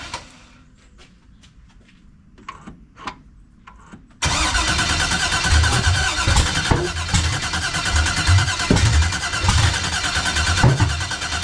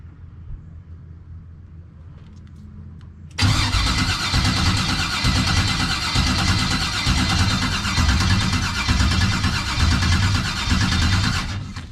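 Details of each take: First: 1989 Chevy Box with LS swap, new starter, external fuel pressure regulator, new fuel filter and return line, cam sensor outer wires swapped, fuel pressure built up: quiet clicks then steady cranking with uneven pulses, never catches; sensors or timing suspected. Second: 1989 Chevy with a no-start, new starter fitted after an external fuel pressure regulator, new filter and return line; engine still won't fire. Strong even cranking about three beats a second, no grinding or clicking: normal starter cranking.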